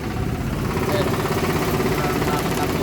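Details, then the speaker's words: Isuzu Crosswind diesel idling without throttle: low, uneven, labouring beat struggling to hold speed, so it needs accelerating; blamed on an engine internal problem, and idle adjuster screw raising is suggested, cause unconfirmed. "So kailangan mo i-accelerate. So ibig sabihin may problema yung nito, yung loob ng makina."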